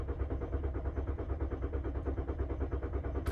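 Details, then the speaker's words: VW 2.5 L gasoline engine (Passat/Jetta/Golf) being set up for a compression test after a cylinder 1 misfire, with fuel pump and ignition fuses pulled: the starter cranks at a steady, even rhythm without firing, a normal crank with no start. "and then we're going to crank the car it should be cranking but it shouldn't start"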